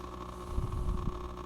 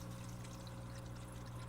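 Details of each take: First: Oase BioMaster aquarium canister filter running: a steady pump hum with an uneven, low rattling knock from the impeller; cleaning the impeller and housing made it quiet again. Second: Oase BioMaster canister filter after cleaning the impeller and housing, mic right against it: a low, steady hum with a soft gurgle as trapped air passes; otherwise it runs quiet, with no rattling or grinding.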